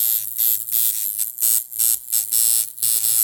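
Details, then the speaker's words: Coil tattoo machine turned down to about 7 to 7.5 volts: buzzy coil hum with hiss dropping out in uneven bursts about once a second. The machine is bogging from too-low voltage while still hitting hard. "So you can hear it's starting to get a little bit of a bog. And I can actually kind of use it, but not really."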